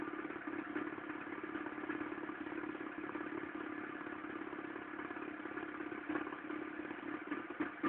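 Steady mid-pitched drone with a busy, uneven clatter riding on top at idle; rough cold-running noise, source not pinned down. Cause suspected, not confirmed.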